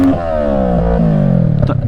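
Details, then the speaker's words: Kawasaki ER-6f (EX650) twin-cylinder motorcycle: revs drop smoothly, then a few sharp irregular pops and crackles through the exhaust on the overrun. Exhaust popping. "tutaj mamy wogóle silnik dwucylindrowy Pokażę wam jak strzelało pewnie słychać"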